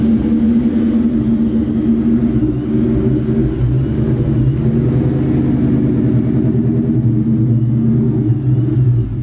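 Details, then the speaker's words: Vortech-supercharged 1999 Mustang GT V8 at operating temperature: deep idle that rises and falls instead of holding steady, though it drives perfectly; owner suspects dirty MAF signal from the blower and charge pipe, likely needs a tune. "but this is how it idles you can hear it it kind of fluctuates but when you're driving it it's perfect um it's just something with this blower in that charge pipe"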